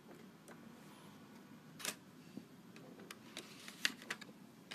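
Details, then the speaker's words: IBM ThinkPad X24 with Ultrabase X2, CD in the optical drive: irregular dry ticking and clicking over a faint whirr as the disc spins up and reads. The drive works but is noisy. "yep that seems to work absolutely fine although I don't weigh that noise that's a horrible noise but yet that that drive seems to work"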